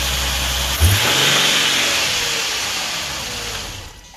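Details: Nissan 370Z during rebuild, first start after fitting a new battery; catches quickly, swings up in a clean rev and settles back smoothly without misses or knocks, normal start and rev.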